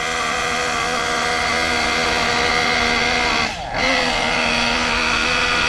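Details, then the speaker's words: Kyosho MP9 nitro buggy engine during carb tuning: steady buzzing note that wavers and dips, sluggish and not picking up crisply because the mixture is too rich, not lean. "Now the reason it's sluggish like that is because it's too rich. A lot of people make the mistake of saying this is lean. It's not."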